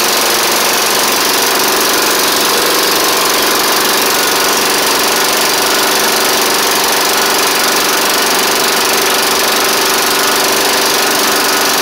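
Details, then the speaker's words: Snapper Hi-Vac push mower with a Tecumseh engine, first start after a carb swap and cylinder head cleaning: loud, harsh, ragged running with a light ticking knock. It smoked less than expected but sounds unhealthy; the owner may add 20W-50 oil. "shoo well she is running it ain't the it it didn't smoke up as bad as I thought but ma'am doesn't really sound the best either unfortunately"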